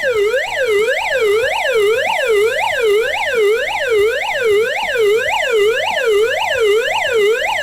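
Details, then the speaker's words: GoPower Flashlight radio's S.O.S alarm switched on: loud wailing tone sweeping up and down about twice a second, steady and even; siren working normally, likened to Pac-Man on steroids. "The S.O.S Alarm. Okay, the S.O.S Alarm on the GoPower Flashlight. So let's turn it on."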